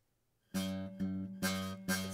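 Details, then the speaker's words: Acoustic guitar, same note plucked four times, fingered at the back of the fret: some plucks carry a thin rattly sizzle of fret buzz from improper finger placement, cleaning up when moved toward the fret. "this can be caused by improper placement meaning to say uh if if I place at the back of the Fret"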